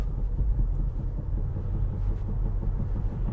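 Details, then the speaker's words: 2011 Chevrolet Impala driven after sitting, warming up: low rolling rumble with rhythmic lumping that keeps pace with road speed; tire thump, owner suspects flat-spotted tires from sitting, not confirmed. "Oh, we got a lump lump lump lump lump. These tires been sitting a while."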